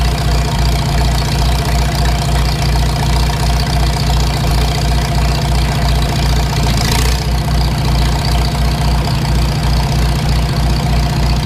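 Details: Farmall Super M tractor engine before rebuild: loud steady idle with a regular knock about three per second in time with engine speed; cause not yet found.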